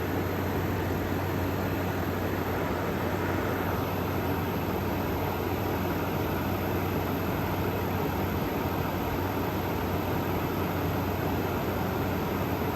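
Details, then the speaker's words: Frigidaire Gallery GHWQ103WC1 10,000 BTU air conditioner, 115 V, likely dual inverter, under a year of use, salvaged: soft steady hum and even airy rush after condenser fan ramped down, no rattles or knocks; ice cold, very quiet, normal running. "this thing is so quiet it's incredible and for having not even a Year's worth of use on it this is totally worth the pickup"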